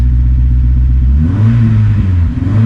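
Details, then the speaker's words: 2006 Honda S2000 AP2 4-cylinder, rebuilt after a wreck; idle lopes unevenly with a dropped beat now and then, slightly better but persistent misfire at idle; owner suspects a faulty injector; engine misfire at idle. "Nope, man. Little better, but still got that miss. You can hear it. Damn it."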